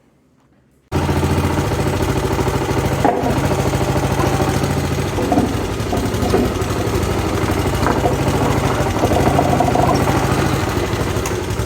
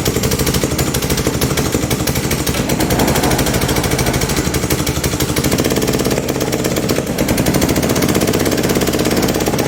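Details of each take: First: Honda GCV160 engine on a Pubert wheeled brushcutter after repair of a broken exhaust valve rocker arm (low-power fault), tappets adjusted: catches after a moment and settles into a steady, even single-cylinder beat with no tapping; normal running. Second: PUBERT wheeled brush cutter, Honda GCV160 engine, before repair, lacking power and stalling under load in grass: harsh rapid valve train clatter over the run from excessive lash, caused by a broken exhaust valve rocker arm.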